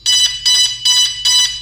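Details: DJI Phantom 2 Vision at power-on with radio on: four bright high-pitched beep bursts about every 0.4 seconds, quiet between; normal startup tones, not a fault.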